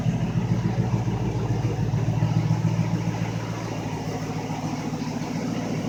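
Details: ZB MG Magnette V8 Coupe project car with a Triumph 2.5 PI gearbox and Laycock overdrive: a low, even burble with a smooth, regular beat and no misses or hunting; a warmed-up V8 idling healthily.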